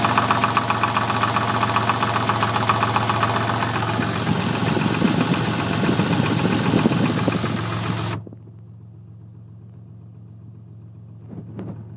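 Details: Twin-turbo Toyota Supra at idle: a regular knock of about 220 per minute that stops when the engine shuts off. Piston slap is suspected, not confirmed.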